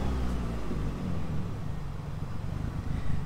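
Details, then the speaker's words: Opel Astra GSI z20let turbo, 500+hp, second start after misfiring and spluttering with no throttle response, now warming: low, slightly uneven idle wandering as it finally idles on its own; mixture too lean at idle, remap considered. "so it's just started idling on its own, as you can see there. Took that much to warm the car up."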